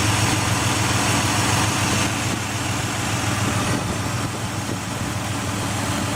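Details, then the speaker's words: 2004 Ford Escape XLT 3.0L with rough idle, in park, after fitting a remanufactured MAF, refitting O2 sensor and battery disconnect: light regular ticking about three a second over an uneven idle; cause not pinned down. "I disconnected the battery and everything, so. Let you hear the ticking if it's still doing it."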